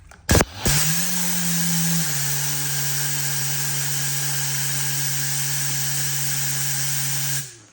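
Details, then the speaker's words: 10-gallon Husky compressor running: motor spins up, holds a steady constant-pitch hum, then shuts off cleanly. "I'm gonna shut that off, that's too loud. Compare that to this. Much more quiet."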